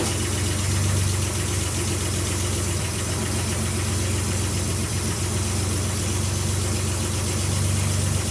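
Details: Nissan Z31 2+2 with a newly fabricated and welded 4-inch downpipe, first start after fitting: deep steady idle with a throaty low exhaust rumble, no knocks or leaks; the downpipe sounds sealed.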